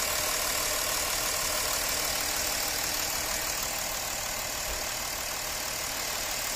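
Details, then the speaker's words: Porsche Cayenne 3.0L TDI diesel that was misfiring with knocking vibration, after servicing and refitting the bad fuel injectors: steady, even idle with no knock or stumble. "जो अपना इसमें क्या था vibration था knocking का वो है नहीं आप लोग मैं साइलेंट हो जाता हूं और आप लोग सुनिए"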